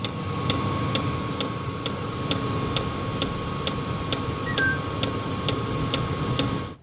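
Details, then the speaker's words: Vevor Compact all-in-one diesel heater: sharp fuel pump ticks about twice a second over a steady blower hum and thin whine; loudest fuel pump tested this season. "The fuel pump noise on here is the most obnoxious I have seen this year."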